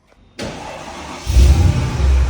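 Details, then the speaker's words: Mercedes E55 AMG V8 after a replacement OEM engine was installed, first start: a deep, steady idle with no knocks or misfires. Sounds very healthy; normal idle. "So, we now have a new engine in the car. Car sounds very healthy."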